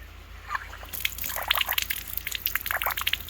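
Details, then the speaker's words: Frost-proof hose bib that stopped working at season start: little popping sound, then irregular drips and small splashes as the vacuum breaker on top leaks; owner suspects it is sticking in the seat. "you hear that little popping sound so it sounds to me like it's getting stuck in the seat but I also right in here this leaked a little bit"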